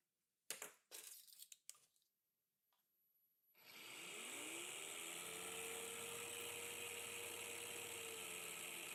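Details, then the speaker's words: 12–24V 30A LED strip dimmer driving a 19.2V, 7000 RPM motor set to minimum speed: the motor turns slowly under a thin, steady high-pitched whine and beeping from the winding, which is no longer heard at higher speeds. "Aber ein Piepen ist zu hören und die Wicklung pfeift."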